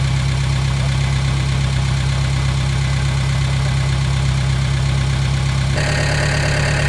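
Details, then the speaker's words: Gehl 3510 skid steer engine, started with no choke after a new throttle cable was fitted and the fuel pump was primed. It settles into a steady, even low idle with no misses, then picks up briefly with throttle. Normal idle. "That thing, no choke or nothing. It just took right off. Burn like a kitten."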